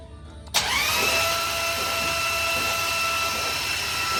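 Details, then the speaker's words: New 500ci big-block Mopar 440 in a 1969 Barracuda, first start, cranking only to build oil pressure before firing: starter clunks in, then a steady whine that never speeds up; slow cranking, no firing, battery on charger. "But for now, we're just cranking. You got oil pressure? It doesn't, it's not cranking very fast."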